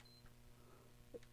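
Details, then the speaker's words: Fat-model PS5 with no power: one short soft beep on pressing power or eject, then silence, no lights, no fan, no picture. "does nothing it just makes a single beep and it's same way with the eject just a single beep no lights no nothing and nothing obviously comes up on the screen"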